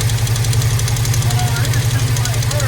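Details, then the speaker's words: Squarebody Chevy at idle after the rocker was refitted and adjusted on a stuck valve: a light, regular ticking, several per second, over a low rumble. The valve is freeing up with run time but is not yet fully free. "Now what we're doing, we're getting it to free up. It ain't totally free yet. Maybe we'll have to work this one a little bit more on the other side."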